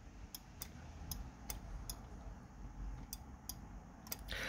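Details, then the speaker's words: 1989 Jaguar XJS V12 5.3 with Marelli digital ignition, engine off: crisp light clicks, about eight in under five seconds, as the throttle is moved slightly; normal off-idle throttle switch. "That's an off idle throttle switch. The way this works, I'll just I'll just turn the throttle slightly. You can probably hear it clicking just when it when the throttle moves a tiny amount."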